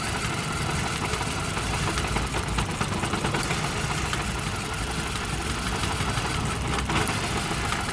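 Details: Volvo with a Mazda/Ford Duratec engine, codes P0302, P0352 and P0400: uneven, lumpy idle with a low irregular beat and stumbles, pointing to a misfire; cause suspected, not confirmed.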